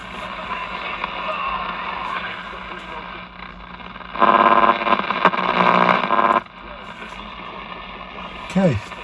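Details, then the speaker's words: Arvin 257T tube radio after repair, some glass tubes replaced with metal tubes, few local stations: steady hiss and crackle, faint station briefly pushing through; receiver working normally. "At 117 what's there? I don't have many stations around here to As you can see it's trying to pick something up."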